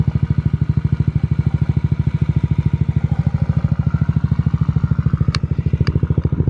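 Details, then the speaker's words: 2022 Honda Ruckus with stage 2 kit and TRS 9.5" stretch, after install: even single-cylinder putter about three beats a second, no knocks; slight gurgling from the decompression tube, not clicking. Normal idle. "so that's the bike completed sounds good running good you can hear a little not clicking noise but it's a gurgling noise that's a decompression tube"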